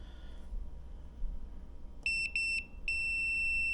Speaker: green and red is shorten so we got the green wire to the fan sounds like it's shorten or something else is shorted